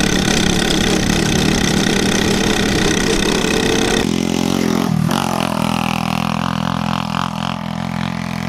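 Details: Yerf Dog 150cc shifter kart on test drive: single-cylinder revs hard with flat raspy buzz sagging and surging with throttle; running lean.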